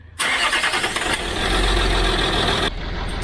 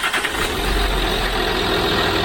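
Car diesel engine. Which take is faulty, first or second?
first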